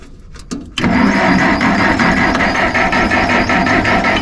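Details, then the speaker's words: Massey Ferguson 40 tractor after seasonal storage: clicks then labored cranking about three pulses a second that never catches; spark confirmed, fuel seeping out, owner suspects it's flooded and the fuel is sour/old, battery weakening. "I actually got spark so there ain't no fuel hmm all right a little bit I think it's flooded the uh there's fuel coming out of this thing a little bit"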